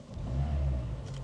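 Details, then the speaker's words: Cheap base-model Renault Clio with a starting issue and a catching brake noise: the small petrol engine pulls smoothly under acceleration, its low hum swelling evenly with no knocks or rattles, sounding normal. "Does sound quite sweet though."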